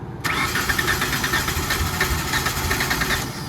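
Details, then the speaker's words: Tennant 355 ride-on floor sweeper engine on choke: even churning crank for about three seconds, never catches. Bad gas and a dirty carburetor were suspected. "I wonder if that gas is just that bad, dude."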